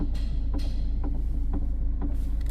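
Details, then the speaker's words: Car with electronic power steering (EPS), knock persisting after fitting a CX5 motor gear: sharp knocks about twice a second over a low hum from inside the steering shaft, not the motor; worn steering shaft joint. "Sa loob ng ano talaga yung ingay sa may steering. Hindi dun sa ano, sa motor, sa steering shop niya mga katropa."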